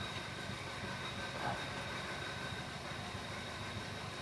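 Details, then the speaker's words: 2001 Chevy Prism, Toyota 1.8L petrol, at idle after a snap throttle: very rough, uneven idle with irregular low thumps while the O2 sensor still fluctuates; misfire and lean condition from restricted fuel injectors. "I mean, that is a very, very rough idle right now."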